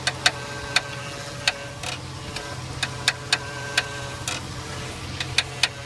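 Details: 2002 Jeep Grand Cherokee with Rough Country X-Flex 4-inch lift kit: sharp, uneven creaks and clicks about every two seconds over a low hum while turning the steering wheel; source in steering or suspension not yet identified.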